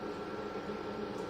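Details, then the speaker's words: Small evaporative cooler (Ivation) fan on high, powered by the Hulkman Alpha 85: steady, even whoosh with a soft hum and no ticking or rubbing; running normally. "All right, so now that's on low fan. That's on high fan. You can probably hear it. So you can run it on fan."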